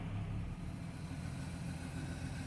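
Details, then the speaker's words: 1993 Jeep Cherokee 4.0 high output, revived after sitting 15 years, injectors clearing: low, steady, even idle rumble with no misses or stumbles, though the owner felt it didn't like idling at first; healthy idle. "look at that she just don't like the idle but she runs good high output 4 lit baby 15 years was she idle"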